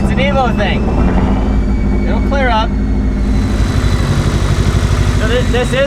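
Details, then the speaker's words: Mitsubishi Evo wagon, sat over a year, just re-timed, 2200cc injectors: cold idle with uneven, lumpy thumps that never settle; a misfire that hasn't cleared. Owner suspects the injectors or a lifter needing to pump up. "what it does it did it does do this kind of an EVO thing but so it hasn't cleared up yet normally it like would clear up have a little thumpy thumpy"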